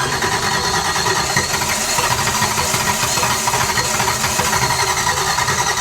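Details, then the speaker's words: 1955 Chevrolet Nomad fed from a jug via the fuel pump line: engine runs roughly with ragged firing, briefly on the bottle, then quits and won't run; spark present, owner suspects watery fuel, cause unconfirmed. "okay well I don't know what is going on now it did just run off the bottle now it's not running off the bottle"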